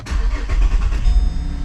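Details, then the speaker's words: 2010 Holden Commodore VE SV6 SIDI 3.6 wagon after fuel injector replacement, with a worn timing chain still due for replacement: brief crank, then it catches at once and settles into a smooth, even idle, a clean start. "away boom boom and yeah all good happy with that goes back to anna idle"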